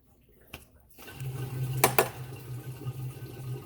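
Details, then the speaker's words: 2007 Mazda Miata 2.0 L, cooling system flush: after removing the radiator cap, a light clank then steady full splashing pour of coolant into the bucket with no gurgling or hesitation; radiator draining freely and fast. "Now listen to that. That is what you call flow."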